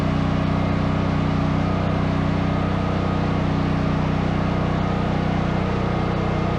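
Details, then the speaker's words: Brand-new Duromax 13000 generator after replacing the choke stepper motor and fitting a new spark plug gapped about 0.029–0.031 in: it fires right up with a steady, even beat and no pops or backfiring. "all right fired right up no backfiring no issues just in case that was a oneoff let's try it again"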